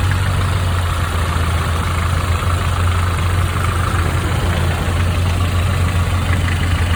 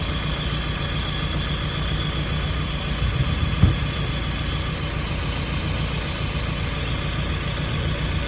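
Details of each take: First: 1995 Nissan truck 2.4 L four-cylinder at idle before Tribo-MAX oil additive: steady idle with a light, quick ticking on top that follows engine speed; noisy valve lifter. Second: 1995 Nissan truck 2.4L after Tribo-MAX treatment for lifter noise: steady even low idle, no top-end ticking or knocking, smooth quiet hum; lifter noise gone.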